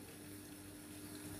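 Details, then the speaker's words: LG dishwasher that showed IE error, after main control board repair: steady hum with faint even tone and water rushing in through the air guide, no knocks or rattles; filling normally. "we can check through the air guide yes water taking through the air guide"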